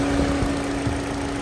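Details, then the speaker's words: Mini Cooper idling with the AC on max recirculation on a 61-degree day: a steady, smooth whooshing cooling-fan hum over the idle with no rattle. The fan cuts out near 105 PSI and kicks back on above 200 PSI. Normal cooling fan operation. "there we go at about 105 The Fan kicks out this is where it fits back on again"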